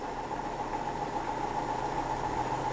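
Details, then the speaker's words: Hotpoint NSWM 1043C W UK N 10 kg washing machine (Whirlpool-made, circa 2007) on lower-speed spin after shock-mount repairs; smooth steady mid-pitched hum, no ticking heard, sounds okay; normal spin. "can't hear any ticking can I not really sounds okay to me"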